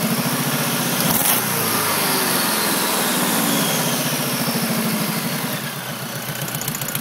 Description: Noise after header install only at idle it seems.